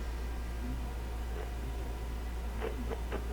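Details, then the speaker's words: SBE Model 34 SSB transceiver at full volume, testing the audio amplifier per the service manual: a steady low mains hum with irregular scratchy crackles. Audio amplifier likely working. "You can hear that scratch in there. That's why I was thinking the audio amplifier probably isn't a problem."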